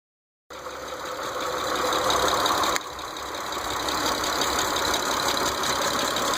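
Steady idle with a light, fairly regular tick riding on top, roughly four a second; source of the tick not pinned down.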